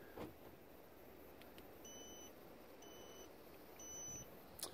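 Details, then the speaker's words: Three even high-pitched beeps on locking a VW T5 campervan fitted with a Cobra CANBUS 4615p/4400 alarm, warning that a door is left open. "like that's just the alarm work and it's telling me that I've left one of the doors open"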